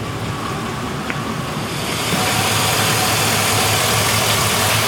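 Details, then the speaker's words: 1999 GMC with a 2013 Silverado 2500HD 6.0 V8, after new bank 2 injectors for a fuel smell in the passenger-side exhaust: steady idle with a light, regular tick; owner suspects an injector, unconfirmed; earlier popping gone. "hear what I think might be I thought I was an injector ticking maybe it's the left things but I don't know"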